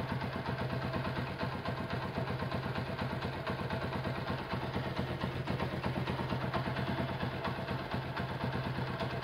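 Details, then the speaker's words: Honda CB100 K3 engine with CDI, after refresh and new iron exhaust mount; idle now settles low, head quiet, steady idle with light tapping about twice a second from the middle of the engine, suspected crankshaft or clutch. "Sekarang langsam bisa kecil ya. Head juga suaranya halus. Ada suara di bagian tengah, kemungkinan keruk as atau mungkin kopling."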